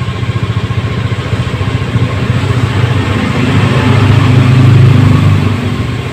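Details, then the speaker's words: Honda Scoopy eSP with a non-working idling stop system, repaired by bypassing the idling-stop switch and raising idle to 1600 rpm; even, steady low putter at the raised idle with no misses or hunting, idling smoothly and normally. "jadi demikian eh tip singkat dari kami untuk edlink stop yang tidak berfungsi kita cukup akali tombol dari saklar Edwin stop kemudian kita setting stasionernya diangkat 1600 Alhamdulillah semua sudah normal kembali semoga bermanfaat"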